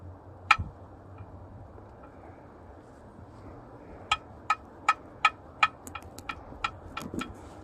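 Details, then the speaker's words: 1989 Jeep Cherokee XJ, Renix 4.6L I6, AW4 automatic: levering the flexplate gives about five sharp, isolated pops in quick succession, likened to snapping a bottle cap. No crack is visible; the owner suspects a cracked flexplate causing the intermittent knock. "it's like a Snapple bottle where you can um snap the the the cap and make it make that Poppy noise I guess that's kind of what's going on here"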